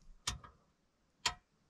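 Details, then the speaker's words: Van water pump tested in deep frost (around −15°C forecast): two sharp clicks about a second apart with no running hum, because the water inside the pump is frozen; the pump does not run at all. "тест на то замерзла ли вода в насосе брак пробуем не работает не работает вообще"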